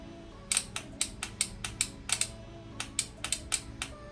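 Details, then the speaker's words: Off-brand Chinese pit bike after fitting a cheap Amazon GOOFIT ignition wiring harness: when the horn switch is bypassed, the starter clicks sharply and unevenly about four times a second, engine not turning, with the on/off switch off; cause unknown. "it wants to try to turn over, but the switch isn't even on. It's off now."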